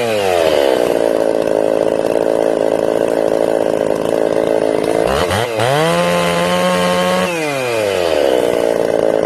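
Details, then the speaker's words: Ported Jonsered 630/266 chainsaw, tuned and warmed at about 110 degrees: it screams steady, then sags and labours in the cut, slower than a stock saw. It bogs under load and won't hold its tune; crank or bearing failure is suspected. "this is me putting it in the wood you can hear it struggling like slower than a stock saw struggling"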